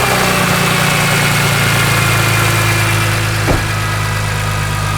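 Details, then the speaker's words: BMW E46 M3 after new spark plugs, ignition coils and valve cover gasket for a misfire, and removal of a ratchet left on the crank pulley: the engine settles into a steady, even idle with no clatter or knock. "That sounds a lot better without a ratchet."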